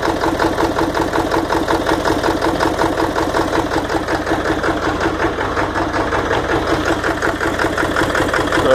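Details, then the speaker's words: 1997 Ford F-250 Power Stroke diesel with a hard-start problem, just fired up after stumbling, with a little smoke; uneven, lumpy chugging idle that stumbles irregularly, like missing a cylinder or two; owner guesses it's running on 6 cylinders, cause unknown. "there she is. Sounds like she's running on probably 6 cylinders, I don't know."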